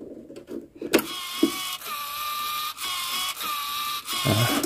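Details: Oki 3000 voltage stabilizer that trips the breaker, previously modified, output wiring replaced but automatic module not yet fixed: small servo motor whines in short bursts every second or so, hunting up and down, never settling.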